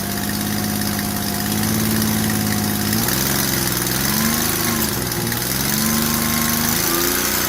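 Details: Ford Escape (2001/2002) after spark plug hole thread repair: steady idle hum with a faint wavering tone, no puffing or hissing at the plug; the plug has stopped blowing and the odd sound is engine noise, not blow-by. Normal idle.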